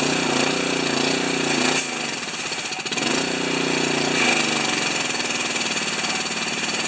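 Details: General TT9091 pressure washer pump after ceramic plunger rebuild, engine unused three years, started on choke: small engine catches and settles into rough rapid chugging that dips briefly, then runs steadily; engine running after pump rebuild.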